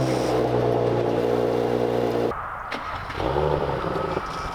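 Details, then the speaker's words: Audi B9 S4 3.0L V6 TFSI on cold start: loose, uneven rattle over exhaust note from active exhaust valves flapping inside piping, with fault codes P0477, P0475, P049F; likely weak or broken actuator spring, fixed with updated Mopar spring. "It's the exhaust valves kind of flapping around inside the piping."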